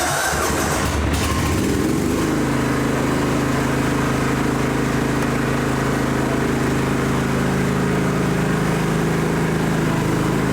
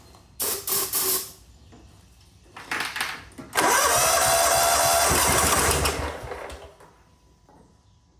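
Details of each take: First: John Deere GT225 lawn tractor on its first test drive: catches quickly and settles into a smooth, steady run with an even beat. Runs and drives nicely and fires easily; the battery light stays on. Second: John Deere GT225 lawn tractor with water in the fuel, starting fluid sprayed into the intake: short cranking bursts, then a longer spin that wants to fire but never catches. The owner plans to drain the fuel to avoid forcing water into the engine.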